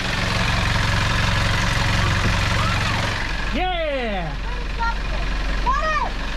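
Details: Sailboat diesel engine after overheating, with seaweed cleared and cooling water flowing again: steady, low diesel thrum with even exhaust-water splashing. Normal running after an earlier odd noise, suspected to be an airlock.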